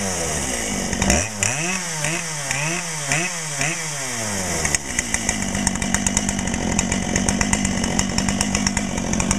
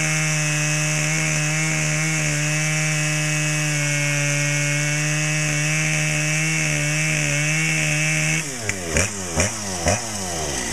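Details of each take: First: Brand-new Dolmar PS-7910 chainsaw, 28" Sugihara bar, factory carb settings, second start, a little warm: several throttle blips, then a held high rev with a slightly burbly, uneven edge; owner suspects a little rich, or possibly hitting the limiter, and plans a tach check. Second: Brand-new Dolmar PS-7910 chainsaw, full wrap, 28" Sugihara bar, LGX chain, factory carb settings, a little warm: steady high two-stroke scream at even revs, then pulling down in rhythmic pulses as the chain bites wood; a healthy saw.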